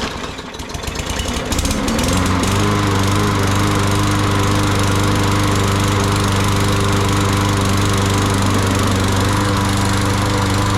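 Engine catches after a few rough pulses and settles into an even, steady mower drone with no misses; running properly.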